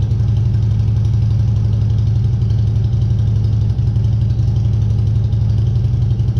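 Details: 2014 Harley Street Glide 103" after vehicle speed sensor (P0503) replacement and starter reinstall, no stored codes: deep, even V-twin idle thumping at about four pulses a second with no misses or knocks; runs healthy.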